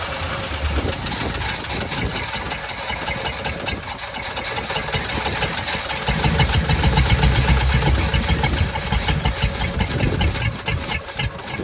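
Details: 1985 Chevy C10 half-ton with 305 V8 and stock Quadrajet, start attempt five, running off the bowl with choke removed; uneven, lumpy idle with irregular surges, struggling to run. Owner suspects fuel or distributor install behind backfires.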